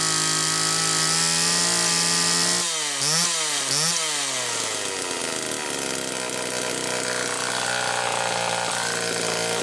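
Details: 1974 Homelite XL-2 chainsaw test run after air leak repair: crisp high buzz at speed with two clean throttle blips rising and falling quickly; running steadily and healthy, idle not quite as owner would like.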